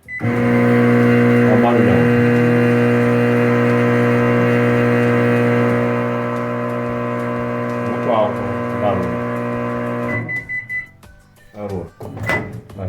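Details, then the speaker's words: Philco microwave running with a cup of water: loud steady buzzing drone throughout, dropping away when it stops, and it does not heat; loose metal part vibration. "E tá, a gente reclamou que tá fazendo muito barulho."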